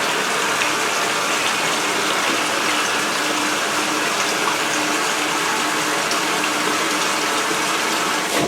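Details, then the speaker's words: Speed Queen washer with the cover open, washing white bed sheets: steady rush of cold water filling the tub for the rinse, motor idle, wattmeter reading 9.9 W, no motor or pump noise; normal cold water fill. "Now during the fill, the motor's not doing anything, just sitting there. Yep. And now we're filling, and it's cold, and we're reading 9.9 watts."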